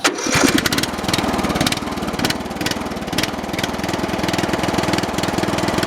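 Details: Briggs and Stratton 13 hp OHV engine on a 2000 MTD/White lawn tractor, revived after sitting over a year: catches at once and settles into a strong, regular single-cylinder thump with no knock or clatter; engine healthy.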